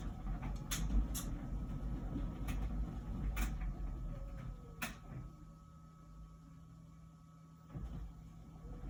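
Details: About a year old LG Wash Tower WKHC202HBA heat pump ventless dryer: soft uneven thumps of the load rolling over, one or two a second, over a low steady hum, before the new buzzing appears; normal tumbling.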